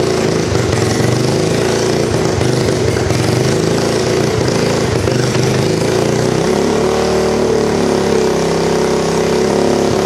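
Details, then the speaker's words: 1986 Honda Fourtrax 200SX quad after top-end rebuild and ignition coil replacement, started without choke: loud, rough single-cylinder idle with uneven, stumbling beats, faltering near the end, sounds like it's missing; cause unknown, later dies when put in gear. "And we have noticed too when it's running, it sounds like it's missing. So it's not, so it's running pretty good, but it's missing."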